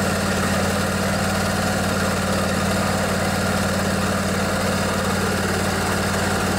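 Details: Craftsman DYS 4500 riding mower, 24 HP Briggs & Stratton Intek twin, after storage and a full service with the fuel tank cleaned and the carburetor refilled. Steady, even drone with a firm low beat and no misses or surges; running smooth and healthy.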